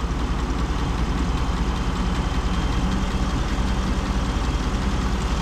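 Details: 2017 Chevy Silverado High Country 6.2L with newly replaced AC compressor, condenser and expansion valve, R-1234yf being charged, compressor running, about 95 degrees out, pressures about 57 and 200: even, steady idle with smooth low drone, no rattles or squeals.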